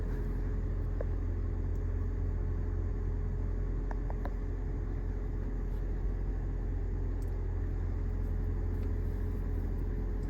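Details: Lexus HS250h hybrid after a dead 12 V battery and a jump start, with systems resetting and the air conditioning on: a low, even rumble with a steady soft beat and nothing irregular. Normal running.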